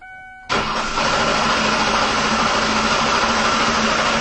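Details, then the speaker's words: 2004 Ford Taurus with misfire codes P2195-P2197 and severe idle/performance problems, cranking with an amp-clamp current test: steady, even starter churn with every compression stroke alike, no puffing; compression healthy, clearly not a bad head gasket. "you could hear the compression listen while I crank and there is clearly not a bad head gasket here"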